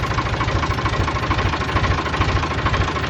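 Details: 1988 Ford 4610 tractor, Ford 201 cu in diesel (about 65 hp), restarted after an oil and filter change with a new tachometer cable: steady, even diesel clatter at idle with a regular rhythm, no odd knocks; normal idle.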